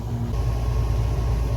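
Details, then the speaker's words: Camper air conditioner after freeing the stuck blower fan: steady, loud low hum and fan rush with no knocking or rattle. It blows cold air and runs normally. "makes a lot of noise holy crap it's blowing cold air oh that's so good"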